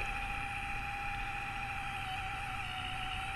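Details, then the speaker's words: Courier Centurion 23-channel AM-SSB CB base station, about 1981, originally non-working: thin steady whine with faint scraping hiss as something drags inside the built-in clock; clock to be removed and checked. "Now, when I first got it, it did not function. And you can hear the noise from the clock. Something's dragging in the clock."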